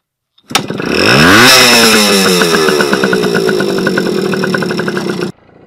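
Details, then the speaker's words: 1979 Yamaha MR50 two-stroke, stood ten years outdoors, after fixing a no-spark condition (part had probably been dirty all along); now fires with one kick, revs sharply, settles to a crisp even ring-ding with no misfires. "now it's just one push and it fires right up so i'm actually gonna try now"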